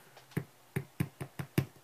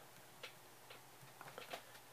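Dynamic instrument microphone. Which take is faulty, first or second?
first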